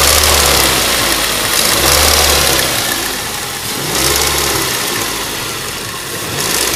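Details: Ford Duratec HE 1.8 petrol four-cylinder revving up and down with a steady, fairly regular tick riding over it; engine ticking, source not pinned down.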